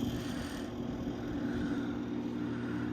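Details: 1983 Gibson SlumberMaster window air conditioner (R22, 5900 BTU, 730 W) on fan-only low with the grille off and the air sweep moving: soft steady hum and low even whir, no rattles or scraping. Normal, quiet low fan.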